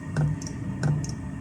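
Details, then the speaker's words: Cheap Chinese diesel heater, just rebuilt, retried after an E01 fault and a battery change: the dosing pump gives sharp single ticks about every two-thirds of a second with no burner roar; fuel or glow plug suspected. "by the way i did change the battery okay pump started again"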